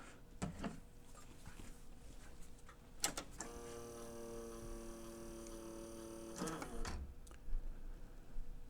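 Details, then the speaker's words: A&D GX-Z9100 three-head dual-capstan direct-drive cassette deck, transport out for service, a cam gear possibly missing part: clunk, then about three seconds of buzzing motor whir and a stop; mode mechanism cycling abnormally, not engaging properly, cause suspected, not confirmed. "okay I saw it turn maybe that's not such a big deal let's try that one more time I'm trying to resist the temptation to manually try to push the mechanism over cuz uh yeah I'm kind of concerned"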